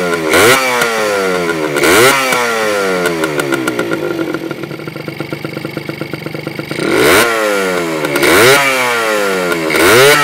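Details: Honda MT50 (MT5 Tornado) vintage two-stroke, full-power New Zealand version: crisp buzz revving in sharp blips with a brief crackly lower run between, clean and eager throughout.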